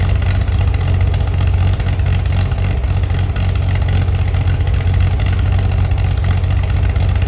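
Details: Chevy SS under restoration, engine restarted after the owner lowered the fuel level to fix a mistake; it has a non-original cam. Steady, even idle with deep low rumble, crisp clean response when revved, no knocks or misses: healthy engine.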